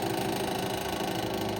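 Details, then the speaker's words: 1935–1940 Westinghouse Pacemaker 10-inch desk fan, bearings oiled, blade slightly out of alignment: fast buzzy mechanical rattle over the steady motor hum; cause unknown, owner wonders about bearings. "besides the rattling. So, I hope I can get this fixed sometime."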